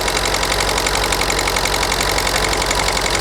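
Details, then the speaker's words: Ford Focus 1.6 TDCi diesel at just over 1500 rpm: steady rhythmic clatter with uneven pulsing, aggressive misfire; unplugging injector 1 changes nothing, so cylinder 1 is dead but not from the injector; compression suspected. "Okay, and I've got this with it at about just over 1500 RPM, okay? And then we've got quite an aggressive misfire."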